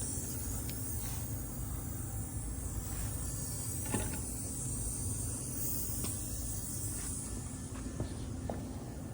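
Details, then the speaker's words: 1998 Honda XR400R during a leak-down test: quiet, steady airy hiss with stray clicks as air escapes out of the crankcase breather. This indicates blow-by, and the cylinder is losing quite a bit of pressure. "not from there that kind of sounds like it's coming out of the intake from that obviously I don't think so where's the Breather so it's coming out of the Breather that works out as Blow by interesting we're losing quite a bit of pressure"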